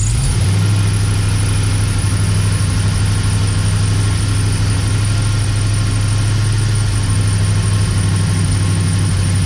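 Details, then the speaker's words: Dodge Dakota R/T 5.9L Magnum V8 held at steady raised rpm: loping "ba-ba-ba" pulse about three a second from an engine miss, belt squeal also present; next step disconnecting injectors. "If I hold the same RPM, you'll hear it kind of ba ba ba ba."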